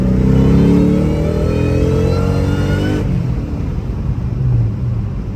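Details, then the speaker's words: Saleen Cobra Mustang with a Torque Tech kit and new LFP monoblade throttle body replacing a BBK twin 65mm, easing into second gear: smooth, steady engine note rising evenly with no stumble or surging. "good, sounds pretty good. So I think we're gonna be in pretty good shape."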